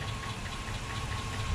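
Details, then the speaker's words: 2005 Chevy Suburban 5.3L V8 idling after an engine flush treatment: a light, quick, even tick from the passenger side over a smooth idle, still audible. A lifter tick is suspected, not confirmed. "most of the tickets coming from from passenger side and I don't know if it's quieted down or not just yet still kind of hear it in the distance"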